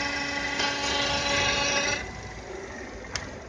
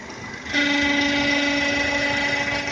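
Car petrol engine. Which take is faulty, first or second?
second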